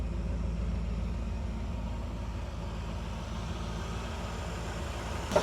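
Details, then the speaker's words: 1976 Cadillac Eldorado Biarritz at its first start of 2025: a smooth, steady, healthy idle with no knocks. Oil is seeping and the owner suspects bad valve seals. "Either [Music] way, there she is. Man, this thing runs"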